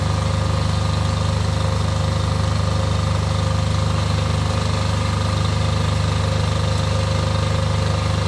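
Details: Off-grid generator after service for fuel problems and cutting out, test run before load: steady even low thrum, constant beat, no lumpiness or hunting; lumpiness seems cured, idling smoothly.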